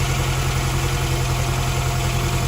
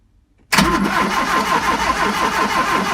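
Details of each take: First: 1971 Fiat 850 Sport Coupe just brought back to life after ignition coil replacement and distributor cleaning, choke pulled out, running on very old fuel: steady, even idle with a clean regular beat, no misses or stumbles; sounds quite sweet. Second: 1971 Fiat 850 Sport Coupe cranking after new coil, points, condenser and distributor arm: starter churns at an even beat but it never fires; no spark, the new points weren't making contact, original points cleaned later.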